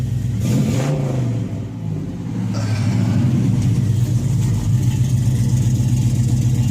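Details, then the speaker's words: 1967 Oldsmobile Cutlass with LS swap; deep even V8 rumble rising and settling through revs, no misses, knocks or ticks, sounds nice and steady, healthy normal revving. "this sounds really good nice and steady"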